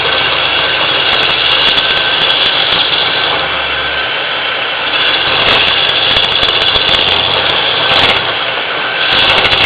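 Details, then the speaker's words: Turning a goblet from beetle-killed pine on a lathe with a sharp-pointed tool: continuous rough fluttering scrape with rapid uneven rattling as the tool catches; tool chatter that will mark the wood unless smoothed later. "those chatter sounds. You hear that little chatter going in there. That's going to make a real weird look on the wood if you don't smooth that off later."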